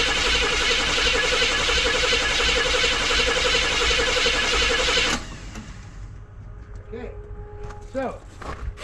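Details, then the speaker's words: Square-body Chevy truck with non-factory big-block V8 (454) and headers, sitting in cold weather, no fuel, mechanical fuel pump; engine turns freely with good oil: quick, even cranking about three beats a second, never catches; strong crank, no fire. "don't even think we're gonna need to put gas in the curb with how good this thing is cranking now that I see it crank like that"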